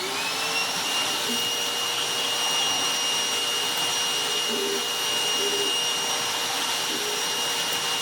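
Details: Goblin Solo vacuum cleaner after refurbishment, motor modification and sealing of the bag door: steady high-pitched motor whine with even rush of air, no surging or choking, suction restored. Normal running.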